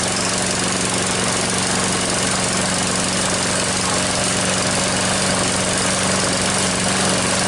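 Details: Troy-Bilt mower with a "Frankenstein" engine built from another engine's parts, rebuilt and not yet broken in: it starts after six primer pumps and a few pulls, then the single-cylinder runs smooth and even at a steady fast beat, no misses or knocks.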